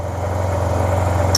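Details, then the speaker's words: Project 2009 Yamaha T-Max scooter, bought not working, fuel on empty, run briefly: steady, even low hum with no knocks, misses or rattles; quiet, healthy normal idle. "and it's quiet it is a nice quiet bike that's pretty go pretty darn good"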